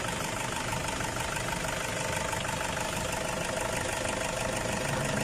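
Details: Toyota Hilux Tiger D4D diesel with warning light, sluggish acceleration, stalling and blow-by: rough uneven idle with puffing chuff three or four times a second over the clatter from a leaking injector seat washer.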